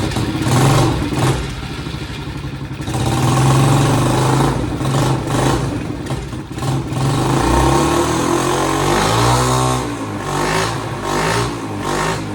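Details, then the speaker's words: Chinese 50cc ATV left outside for years, first start after fitting a new carburetor. The small single-cylinder revs in uneven bursts, sagging and picking up, and won't hold a steady idle; cause not confirmed. "All right. She She's not idling."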